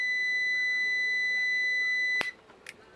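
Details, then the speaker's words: Klixon thermal cutout, calibrated about 90 °C, heated with a lighter on a continuity tester: steady beep for about two seconds, then stops abruptly with a click as it trips open on overtemperature. "et voilà donc il a déclenchée suite à une température trop élevée"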